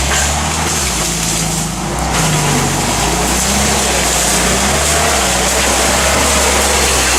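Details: Toyota with long-standing bad transmission: constant loud drivetrain roar with wavering low hum rising and falling; transmission noisy, exact fault unknown.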